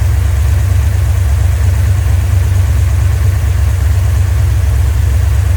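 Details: Rebuilt 1990 Mopar 318 V8 from a D150 truck (Comp special-grind cam, Air Gap Magnum intake), vacuum advance on manifold vacuum, about 29° at idle, 33° total, idle vacuum low, rpm up 100; deep, even low rumble, steady firing, no knocks or misses, healthy.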